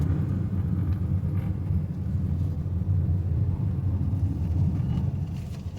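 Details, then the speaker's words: Honda Amaze on the road after suspension and steering noise repair with new parts: steady low road rumble from inside, no knocks or clunks over breakers and potholes, front suspension now quiet. "देखना हमारी car में किसी प्रकार का कोई आवाज नहीं है।"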